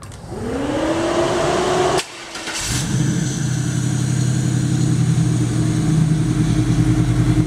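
Starter whirs up, the engine catches near three seconds and settles into a steady, even idle with a deep exhaust note; running fine.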